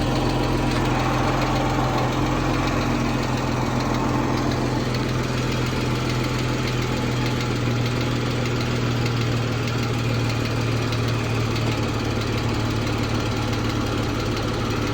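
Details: 2014 Jeep Wrangler 3.6 Pentastar V6 idling: steady light, fast tick over the low engine hum; owner unsure whether rocker arm or valve tick.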